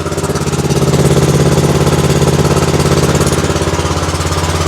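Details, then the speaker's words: Exmark zero-turn mower with a Kawasaki twin engine, hard to start and low on power with a sticking choke: the idle beats unevenly at about 3.5 thumps per second with a lopey gap. Running on one cylinder, misfiring from a bad, fouled spark plug. "the joke was sticking y'all hear it she's only running on one cylinder I know it's hard to hear"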